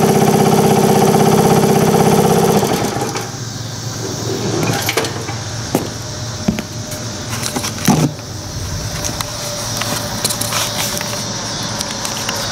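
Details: 1978 Indian moped with a four-stroke petrol engine, run after fitting the air cleaner, choke on: putters at a quick, even beat for a couple of seconds before shutting off; smooth, healthy normal idle.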